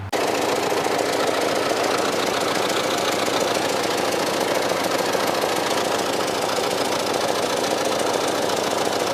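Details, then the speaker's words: 1995 Cadillac Fleetwood V8, January 2014, old worn mufflers, also oil and coolant leaks: loud, raspy, chuffing idle with exhaust escaping under the car instead of the tailpipes; exhaust leak from worn mufflers. "it had very very bad Mufflers it also had an an oil leak and coolant leak so in January 2014 the car sounded like"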